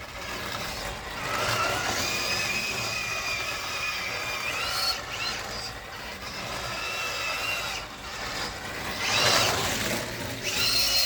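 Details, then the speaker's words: Tamiya King Cab RC truck climbing a driveway: high electric motor whine surges while speed barely builds; owner suspects ball diff slip, not confirmed. "I'm definitely experiencing ball diff slip from it as it's trying to go up the drive you can hear the motor spinning furiously and the car just doesn't seem to be gaining speed particularly easily"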